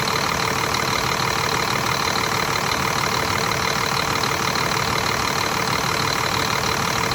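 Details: Scania R400 truck, DC12 diesel just overhauled with new liners, pistons and camshaft after a knock, running after reassembly: steady, even clatter at a slightly raised idle with no knocks or misses, a healthy engine.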